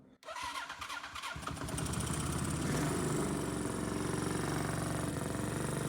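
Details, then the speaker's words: 1979 Kawasaki motorcycle after carburetor service, still leaking: short crank catches, then an uneven, lumpy beat around four pulses a second; owner feels it runs on only one cylinder, not confirmed. "faire plus j'ai l'impression qu'à ton que sur un seul cylindre et en actionnant ici"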